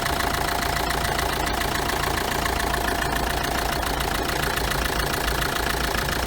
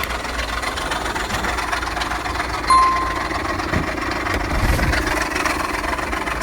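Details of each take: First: Chevrolet Tracker diesel at idle, hood open, after replacing the ribbed belt pulley and idler pulley that caused a knocking noise: steady even clatter, no squeal, chirp or rumble; noise gone, normal idle. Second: Engine idling with the hood open: an uneven light knocking over the engine sound, traced to the ribbed drive-belt pulley and idler pulley; replacing both stopped the noise.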